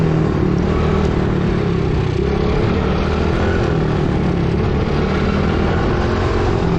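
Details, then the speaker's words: Coolster 110cc ATV that sat for two years, with magnetic residue found in the fuel tank: holds a loud, steady high-speed drone with no drop toward idle; throttle stuck open, and the owner fears debris got sucked into the engine. "W the throttle um um stuck open on me so not good you can hear it there's some stuff going on in there"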